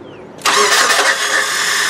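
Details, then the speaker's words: '99 Nissan Altima 2.4 being started during ignition timing after a distributor replacement: brief weak cranking, then an abrupt catch into a busy idle. The starter is failing, with the Bendix intermittently not throwing out the gear. "yeah that starter is starting to go you heard that did you hear the starter what did it started yeah right there you didn't even spend the motor it was the best dog that right there it's intermittent the Bendix is not always popping out the gear"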